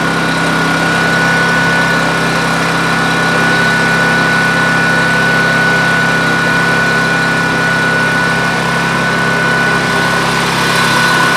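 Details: Coleman Powermate 6250 generator with Subaru engine, rated 3600 rpm: a steady, even drone with a fixed high whine and no hunting. The engine is overspeeding well above rated speed.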